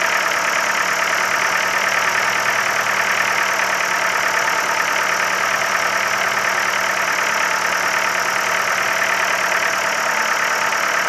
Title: Стук в двигателе focus 3, 1.6л, 125 л.с.